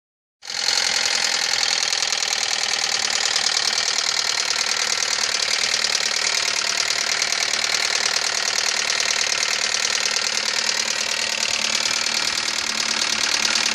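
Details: 2000 Ford Focus: fast, uneven, bright metallic ticking and clatter over a quiet idle, almost no low rumble; owner asks for help finding the cause. Ticking noise.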